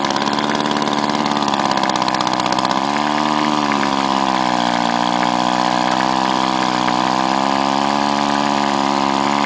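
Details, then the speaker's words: Powerwise ink pump air motor being rebuilt with kit, top half and shim gaskets refitted, running on air while six housing screws are only snugged: steady buzzing drone that drops pitch and settles; compression improves as screws tighten. Loose housing screws, low compression. "you should notice as it gets tighter you get better compression from the sound of the motor you can hear it"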